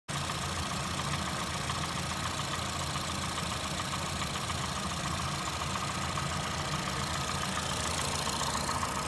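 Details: Warm idle on a 2008 Honda Fit (Jazz) 1.5L, 120k miles, automatic non-CVT, valves adjusted, no oil use or check engine light: uneven light knocking, three to four taps a second; absent when cold at higher RPM; owner suspects piston slap.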